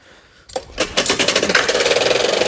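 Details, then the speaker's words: Old lawnmower engine: small engine catches and settles into a fast, sharp knocking beat riding on the firing, sounding like a worn connecting rod; rod knock. "end today's vlog with a bit of rod knock have you guys see who haven't heard this lawnmower how listen she's a beauty"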